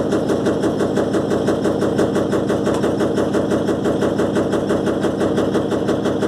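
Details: Electrolux LTE12 washing machine during a suspension test: a fast, very regular hard rattle of about three beats a second never lets up during the spin. Something loose is suspected, not confirmed.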